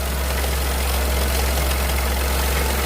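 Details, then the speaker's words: Dacia Sandero 0.9 TCe three-cylinder petrol idling before timing kit and oil pump replacement: loose, clattery metallic rattle from a stretched timing chain, a known issue on this engine. "c'est flagrant. Ça c'est la chaîne qui est détendue enfin qui est connue là-dessus."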